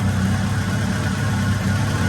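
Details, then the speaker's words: Acura Integra GSR DC2 B18C1 all-motor, new 170 thermostat fitted for cold lower radiator hose, just started and warming up, radiator still cold, air-fuel reading about 11.3 (rich, not lean): deep, steady idle rumble, even beat, no misses, knocks or surges. "Yeah, it's a little warm up, but at least it's rich and not lean, so that's a good thing."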